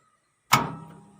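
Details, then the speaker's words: 5 HP submersible motor DOL starter, three-phase supply, manual mode, after wiring: one sharp metallic clack as contactor pulls in cleanly; motor starts normally drawing 10 amps. "நம்ம motor on ஆகிடுச்சு. Amps 5 HP சப்மரிசிபிள் motor, 10 arms எடுக்குது."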